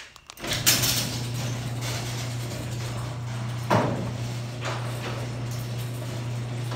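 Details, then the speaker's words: Genie ProMax 1/3 HP chain-drive garage door opener with only one spring, running the door down: steady low motor drone with a few sharp clunks. The noise source is unclear; the owner suspects the spring. "it could be the spray making that noise"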